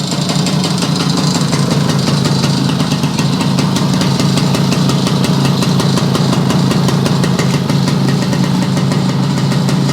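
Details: Yamaha YL2C 100 Trailmaster two-stroke, premix drained for straight gas, condenser not yet fitted: a steady, even idle with a soft burbly beat and no misses, still a touch rich while cold and starting to clear; the carb still needs readjusting.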